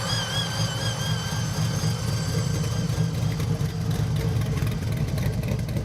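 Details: Chevy Nova pro touring build with a supercharged V8 on a cog-drive blower, dyno tuned; a deep lumpy idle with a clear high whine that wavers with revs. Normal supercharged idle.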